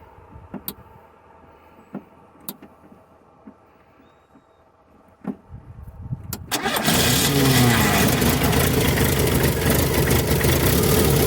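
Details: VW Parati AP 1.8 petrol with a recently rebuilt engine, after tightening a loose bolt that caused a strange noise and sparks at the roadside: a few quiet clicks, quick crank and catch, then a smooth even idle.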